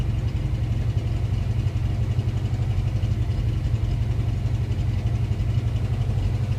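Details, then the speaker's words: 1988 Mustang, engine pressure-washed after transmission swap; moisture and corrosion found in distributor, cap and rotor, which were dried, retimed, coolant bled. Idle still lopes unevenly, beat stumbling about four times a second over V8 rumble: misfire remains, cap/rotor or distributor replacement suspected. "It's all right. Sounds like you still got a miss. You got to rough a little bit."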